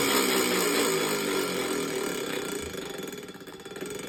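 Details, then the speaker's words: Minka Aire San Fran ceiling fan: rough raspy grinding roar with a fast pulsing edge fading as the fan slows; dry bearings suspected. Grinding noise. "this Fan's dry bearings will destroy your eard drums are you ready here it comes as you can see that is not a good sound sounds like a race"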